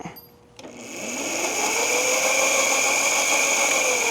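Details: Razor Rambler 12 electric ride-on, charger connected, after sitting in storage for over a year: a click, then the small electric motor spins up to a smooth, steady high-pitched whir. The fault was the batteries, not the motor.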